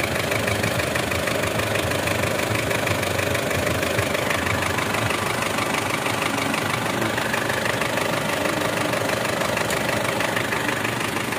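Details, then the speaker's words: 2008 Mitsubishi Strada Triton diesel after injector repair: the white smoke is gone, but a steady tapping about three a second remains at idle, traced to cylinder 2. Piston 2 is slightly slapping; the noise fades when revved, and some blow-by remains at the dipstick and oil cap. "suara takutnya itu masih ada jalur yah suara tampaknya masih ada eh indikasi papi masih di nomor dua ya untuk suaranya itu ada di nomor 2"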